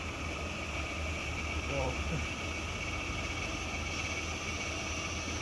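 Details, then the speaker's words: Power steering pump whining loudly and steadily while the steering wheel is held at full lock over low engine hum, stopping when turning stops; caused by air in the power steering system. "and do you hear that loud winding noise so if you stop real quick then the winding noise will stop that's my powered steering pump that's trying super hard to oh it's making that noise because there's air in it"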